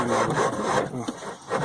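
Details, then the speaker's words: Penguin engine sitting for years, turned by hand to free it: slow uneven dry scraping; rust under the magneto rotor still rubbing, rotor should come off and be cleaned underneath. "You can still hear that the, okay. Still rust making contact in there, and this rotor should come off and have everything cleaned out underneath it."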